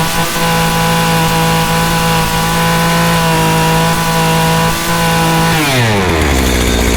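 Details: Small two-stroke engine running after fuel line and filter rework, started with prime and choke; steady high-speed buzz dropping smoothly as throttle closes, no misses. Normal running.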